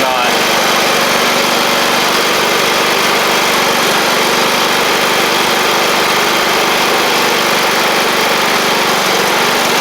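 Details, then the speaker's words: John Deere L110 riding mower engine, after fitting a fuel pump to cure flooding, holds a steady, even, buzzy run for ten seconds without stumbling or surging; the fuel pump was the issue. "that's better hey hey that was our issue let's get it out here and see what it'll do"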